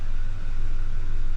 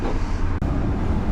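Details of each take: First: 2005 Ford F150, broken-into truck, warm at 180°F idle: low, slightly uneven pulse, no clear miss. No trouble codes, but fuel trim 18% lean and manifold pressure 9 inHg; owner suspects a major vacuum/air leak, to smoke test. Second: 2005 Ford F150 after break-in, ignition wiring repaired and battery previously dead: fired right up, steady even low rumble idle with no misses or knocks; running normally, possible blown fuses suspected.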